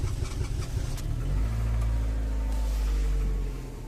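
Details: Renault with a steering lock error (DF002) causing no-start, after the fix: brief uneven cranking, then catches at about one and a half seconds and settles into a steady even idle.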